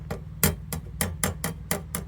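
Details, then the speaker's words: Tapping the annealed copper cylinder head gaskets of a 1937 Brough Superior SS80, after both gaskets blew: about eight quick taps, each a short dull thud with no bell-like ringing, showing soft, properly annealed copper ready to refit. "So if they're hard bits of metal and you hit them together, there's going to be like a tinging, resonating, ringing kind of sound, a bit like a bell. But if they're soft, it's much more of a dull thud."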